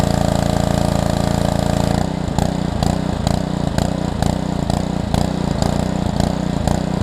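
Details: Small single-cylinder pressure washer from a $75 equipment lot, hooked to water with water purged, on its first start: a steady beat that settles lower with a soft regular pulse as the pump takes load; oil full and clean; normal running.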